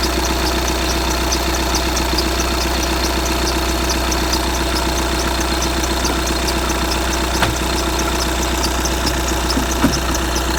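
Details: 2015 VW Tiguan 2.0 TDI 150 BMT, 34,000 miles, cold engine at idle: thin high chirp about one and a half times a second, lasting a minute or two then going quiet; cold-start squeak, source unknown.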